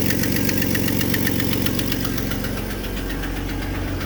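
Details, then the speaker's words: 1995 Jeep Grand Cherokee Laredo, 234,000 miles, at idle: sharp ticking about 230 per minute over a steady idle; exhaust manifold leak, new manifold and intake gaskets planned. "new exhaust manifold, intake gaskets, because it does have an exhaust leak."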